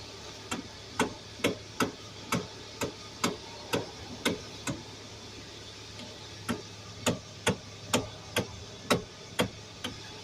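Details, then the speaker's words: 2011 Hyundai Sonata with electric power steering, no pump: sharp clunks about twice a second as the steering wheel is rocked, from a worn electric power steering coupler in the column. "okay so we got a 2011 Hyundai Sonata customer says clunk in the steering"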